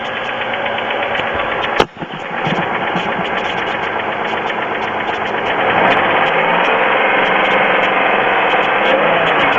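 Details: Pontiac with a GM 3.4L engine idling with plenty of oil: a steady light tapping of about four per second over an even note, which later stops completely. The owner asks whether it is piston slap; the cause is unknown.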